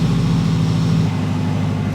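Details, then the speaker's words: Mitsubishi Evo 8 restoration, idle just after first start-up after long storage: smooth even low hum, no ticking or knocking, 85 PSI oil pressure; healthy. "85 PSI oil pressure like we never left"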